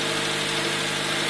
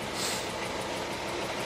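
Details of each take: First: 2000 Honda Civic LX, D16Y7 non-VTEC engine, after head work following coolant loss from a cracked radiator: smooth, even idle, no misfire, idling somewhat high because the system has no coolant yet; runs normally. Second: 2000 Honda Civic LX D16Y7 non-VTEC, driven with no coolant after cracked radiator: runs badly with a rhythmic misfire despite new plugs and wires; compression about 60, 60, 10, 140; cylinder 3 head gasket suspected of leaking into water jacket; one cylinder dead from a burnt valve.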